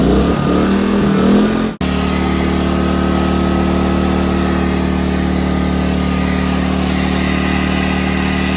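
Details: A-iPower SUA2300i/SC2300i 2300W inverter generator after a no-start repair: catches and settles into a steady, even drone without surging or misfire; running normally.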